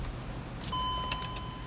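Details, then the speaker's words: 2004 Range Rover L322 after upper steering column replacement for a faulty immobilizer and battery reconnection: inserting the key gives short sharp clicks under a soft dash chime; steering lock engages and releases normally and the car then starts. "clicked put it in click run all fixed"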